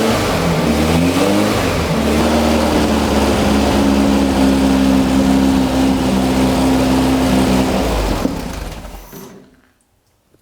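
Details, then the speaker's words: Rebuilt 1600cc dual-port VW engine in a custom dune buggy on a shortened 1973 Beetle chassis, first start: catches and revs unevenly with wavering pitch, then dies; flooded, a runner leaking, idle needs turning up to stay running. "we're getting fuel a runner leaking a little bit of something oh I think it's really really flooded now"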